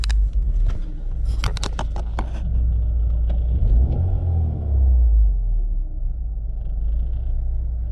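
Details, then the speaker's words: BMW E36 Compact M43 on a test drive after fitting the AliExpress idle control valve, sealing it, and cleaning the MAF sensor. Even, low engine rumble with only slight RPM fluctuations that are not noticeable while driving; it is now running acceptably. "see it's quite actually good. You don't notice this in the drive. So those fluctuations in RPMs are not that terrible."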